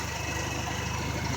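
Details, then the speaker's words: 1995 Honda Accord idling after A/C repair, bad expansion valve replaced: even low throb and steady whoosh, no compressor noise, new pressures 210 psi high side and 42 low. The relay was temporarily jumped from the condenser fan relay pending a new PCM. "This is our new pressures. We got 210 on the high side and 42 on the low side."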